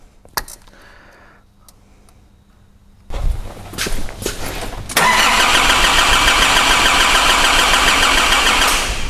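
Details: 2005 Nissan Navara D22, 3.0 ZD30 turbo diesel with rotary (non-common-rail) injection pump: steady even cranking at about three and a half turns a second, never fires; cranks but won't start, fuel pump module fault suspected.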